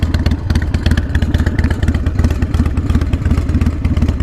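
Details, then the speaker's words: Harley Sportster 48 idling: loping V-twin idle with a loose metallic clatter riding each firing pulse about three a second; source unclear, suspected loose exhaust rattling. "the exhaust oh yeah okay it's just the exhaust watch okay"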